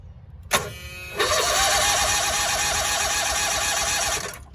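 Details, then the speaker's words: Cushman three-wheeler with the drive engaged instead of unloaded by the lever: labored, wavering starter groan pulsing about five times a second during slow cranking; the parasitic load overloads the starter. "It put such a strain on the starting system that I actually heard the starter groan trying to crank over."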